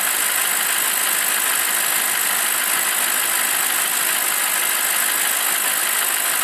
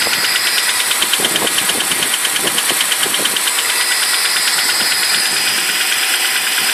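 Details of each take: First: BMW 745i E65 V8 after a 2°C cold start whose clatter disappears after 1 min 20 s: warmed-up, steady even idle with a smooth hiss-like hum and no knocking or clatter left. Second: BMW 745i E65 V8 at 2°C outside, right after cold start: fast, light top-end clattering ticks steady with idle, disappearing after 1 min 20 s; owner suspects an old chain tensioner, unconfirmed.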